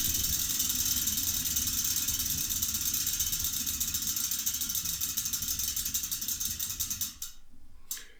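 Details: Rebuilt bicycle rear wheel with a salvaged freewheel the owner doubted; fast, even ticking as the wheel spins and slows, a clean steady ratchet with no grinding; freewheel sounds fine.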